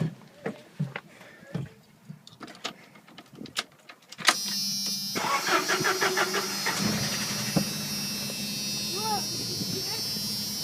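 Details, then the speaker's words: Jeep YJ 2.5L cold start after sitting overnight: brief rattling knock right at startup that fades, then gradually returns as ticking/pinging; pulling spark plug wires one at a time changed nothing. "It started rattling right off the start, and then it stopped rattling with that knocking."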